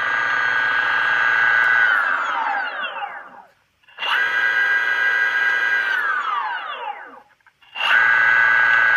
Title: Motor bearing failure